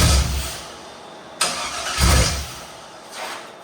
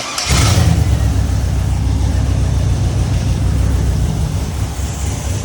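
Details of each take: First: Chevy 5.3L LS V8 swapped into a YJ/CJ Jeep: the starter grinds in short uneven bursts but the engine never catches; it is a crank-no-start from the VATS anti-theft lockout, and the wrong computer is suspected. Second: Chevy 5.3L LS V8 swapped into a YJ/CJ Jeep, after a new computer was fitted: it catches within a fraction of a second and settles into a deep, even, steady rumble; it starts and idles normally.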